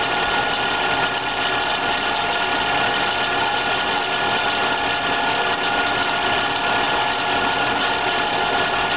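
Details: PMI BRISA evaporative cooler, model WH2903A, after about 60 hours of use: water pump and blower motor running, constant rattling buzz over the motor hum like a failed bearing or bushing. The squirrel-cage blower wheel had shifted and was rubbing the housing.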